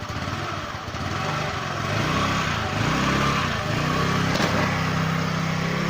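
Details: Jialing 125cc four-stroke scooter that stood outside five years, on a test ride reaching 75–80 km/h after a crankshaft bearing replacement for a knock: smooth, even single-cylinder putter rising with revs, no knock or rattle; normal running.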